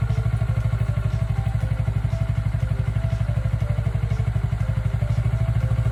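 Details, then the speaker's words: Kawasaki Ninja 400R 400cc (registered 2013, 7 years old), started after about 3 months unused despite feared flat battery; steady, even low exhaust beat at idle, no misses, knocks or rattles: normal clean idle. "初めから3月初めまで3ヶ月全くエンジンかけてなかったのにちゃんとかかりました。バッテリー上がってると思いました。よかったです。"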